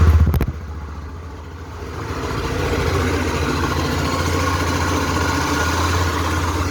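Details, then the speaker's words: Honda XRE 300 / CB 300 single-cylinder at idle: rough, uneven clatter about four knocks a second under the exhaust note, a chronic fault in the worn crankshaft bearing on the flywheel/magneto side, not the cylinder head. "Esse barulho galera ele é um defeitinho crônico tá dando nessas motos no rolamento do virabrequim desse lado aqui"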